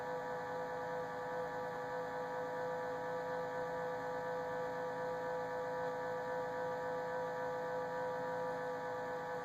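Constant mid-pitched whine with steady overtones that never changes over ten seconds, coming from the fridge; source not identified.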